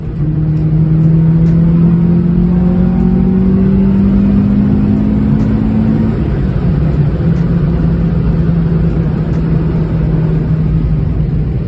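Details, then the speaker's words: B20 VTEC car with newly fitted upgraded gearbox, driving steadily: clear whine over the engine note rising and falling with road speed, worst in third gear; bearable, gears still somewhat sticky. "Especially that third foot. Especially that third foot. That's a bad wine though. Not that bad. Like that's bearable, man."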